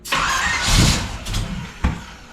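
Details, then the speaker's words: Just after a split-bumper front-end conversion, the engine catches and flares rough on startup, then gives a single sharp pop near the end: backfiring during starting. "Why are you backfiring the car, you little bitch?"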